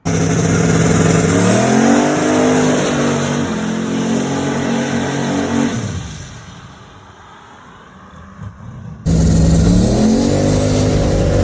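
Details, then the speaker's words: Newly swapped 6.2 LS V8, boosted, street-driven: strong clean rising pulls through the gears, a lift-off, then another clean pull, even firing with no misses or pops; normal running under load. "Sounds good. I know. It's nice set. Sounds clean though."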